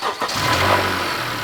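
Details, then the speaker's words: Honda 2.4 liter Earth Dreams direct-injection engine, air filter fine: catches and settles into steady idle with light ticking on top; normal high-pressure injector noise, generally not the cause of problems. "It sounds normal for one of these, and the reason you hear that little bit of noise is because it's an Earth Dream system. In Hondas, they often have noisy injectors on these. They're high pressure systems."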